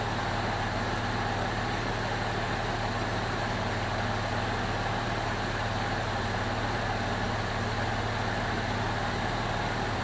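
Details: 2002 Jeep Liberty 3.7 swapped engine idling, temp normal: steady, even smooth low hum with no knocks, misses or ticks; runs pretty smooth though check engine light on (hard start or coil pack suspected) and smoky from oil-covered exhaust.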